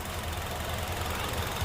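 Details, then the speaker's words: Honda CR-V 2.4 K24 engine after valve clearance adjustment for noisy engine: low, steady idle rumble with soft even pulse and no sharp ticking; quiet, normal idle, fix confirmed. "It's just a normal engine running, so it's quiet."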